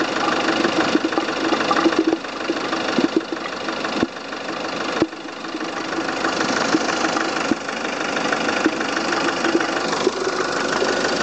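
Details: Volvo S40 at idle: busy, fizzing mid-pitched rattle and irregular sharp clicks coming from the coolant expansion tank, an abnormal strange noise.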